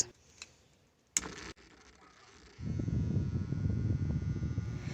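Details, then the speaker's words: Small clip fan, previously noisy, after oiling: steady, low, even whir with no rattle or scraping; the noise is gone and the repair worked. "so as you can hear the noise is gone and we did a good job"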